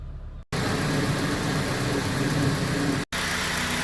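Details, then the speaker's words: 2004 Honda Civic Dimension 2.0, K20A engine, about 243,000 km, nearly 19 years old: steady, even idle slightly high at about 1,000 rpm, no knocks or misses. Normal idle. "รอบเดินเบาก็ยังสูงอยู่นะครับประมาณ1,000รอบนะ"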